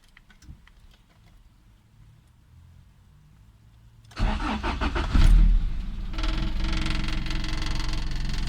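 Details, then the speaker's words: Honda B20 VTEC after fixing distributor wire fault, fuel pump priming then cranking: quiet clicks, engine catches at once and settles into steady even idle; starts normally. "Started right up."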